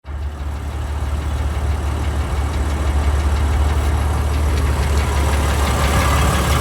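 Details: BMW M4 F8X S55 cold start: deep idle rumble with a faint, uneven light ticking/knocking on top, from exhaust cam ledge bolts torqued incorrectly at the factory, before replacement.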